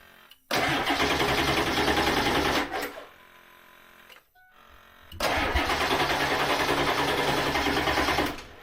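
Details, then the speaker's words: Ford F350 diesel dually; two cranking bursts with a quick, even, light rhythm, spinning over way too fast as if it has no compression, no start; cause unconfirmed, it later started and ran well. "that sounds way too fast too fast spinning over way too fast like it's got no compression"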